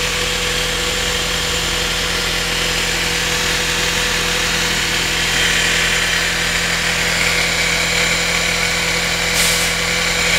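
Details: Mitsubishi Mivec 4G92 petrol engine idling cold with a light tick about three or four a second over its hum; the ticking appears each morning on cold start and goes away after 10–15 minutes.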